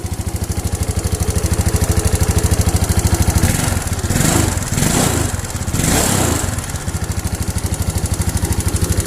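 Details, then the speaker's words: Rough running Yamaha Mio Sporty carburettor scooter, single-cylinder: idle with a coarse, uneven thump and clatter, briefly blipped up and back; harsh-running engine, cause unclear. "kali ini saya kedatangan tamu motor menguji dengan suaranya yang kasar sekali seperti ini ya coba dengar"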